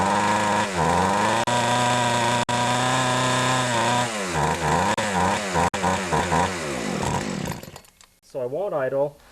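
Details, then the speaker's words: Older Poulan 2150 chainsaw, Walbro carburetor deliberately untuned: steady high drone then blubbering and wavering off throttle; running way too rich, low (left) screw to be turned in half a turn. "I can tell it's running way too rich so when that happens usually the case is that you got to screw in the low screw which is the left screw"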